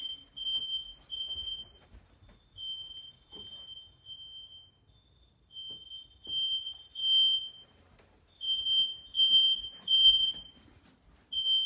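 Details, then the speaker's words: Aging Fire-X smoke detectors (about 20 years old) in smoke testing give only thin, weak, irregular high beeps with quiet gaps. They detect the smoke but barely sound, unlike the working downstairs Kidde unit. "I don't know if you can hear that, but they're trying to make noise. They just don't."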